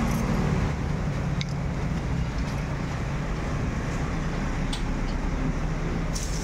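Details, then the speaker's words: Kawasaki Barako 175 motorcycle after repair of transmission gears with two broken teeth and damaged clutch housing, fresh oil added; steady low drone at idle with no rattle or gear clatter, now quiet; normal idle. "Wow, tahimik na. Ayan, tahimik na."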